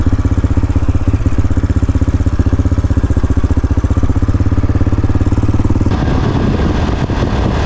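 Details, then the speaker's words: AJP PR7 single-cylinder motorcycle started on a 25°C morning at the start of a road trip: even thumping idle, tone shifting near the end; started and running with no clear fault. "Let's go, fire up the beast"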